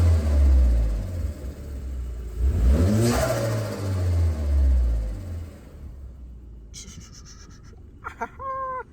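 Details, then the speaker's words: VW Scirocco R turbo petrol, warm with oil at temperature, after coil packs refitted to cure misfires: engine revs smoothly through strong blips and drops back cleanly, no stumble or miss; boost pipe sensor still broken. "Okay, I've let her warm up now, so oil is on temperature. Listen to this."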